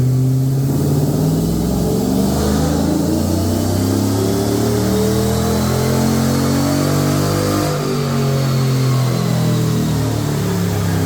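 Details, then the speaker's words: GMC truck, after fixing a suspected lifter tick that was really a melted, blown cylinder 2 direct injector seal leaking compression. Injector and seals replaced. Revs rise and fall cleanly and evenly with no ticking left. "Let's get this wiring wrapped back up and then we'll get it all plugged together. Just like that. Got no more tappity tap."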